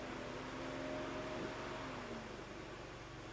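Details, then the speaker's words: 2004 Mazda Tribute 2.3 L, engine warming with A/C on: cooling fan hum drops out while scan tool commands it on, so fan cuts in and out; most likely a fan module fault, not confirmed. "it's commanded on to stay on and you can hear in the background that it's cutting in and out so I haven't turned it off and yet it's cutting in and out isn't it so most likely it's a module issue"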